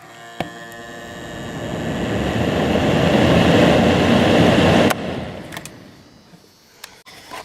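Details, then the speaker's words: Small fan motor on fan setting running from a cheap modified sine wave inverter gives a harsh, raspy buzz unlike a normal 60 Hz hum; on line power it runs at about the same RPM. "you can probably hear that that buzzing doesn't sound right if you're used to what a 60 HZ hum is uh that sounds different"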